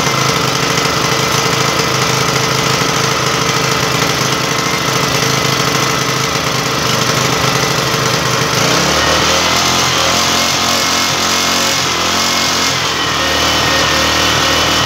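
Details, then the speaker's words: Long-unused Yasuka single-cylinder generator after spark plug and ignition checks: runs steady and even with a constant buzzing note and no misses. Fuel line hookup to the carburetor is still to be finished. "điều quan trọng là tôi biết động cơ vẫn nổ máy và chạy được nên chỉ cần hoàn thiện thôi là xong."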